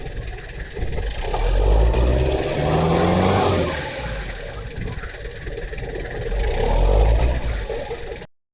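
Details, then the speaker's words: Mitsubishi Delica diesel with a new Kunigawa turbo replacing one that lost boost over a year, plus a short side-dump exhaust: revved twice, with a faint rising turbo whistle on each rev before settling. Normal turbo spool. "And I can actually hear the turbo spool this time. I'm not sure if you guys can hear on the video, but that spool"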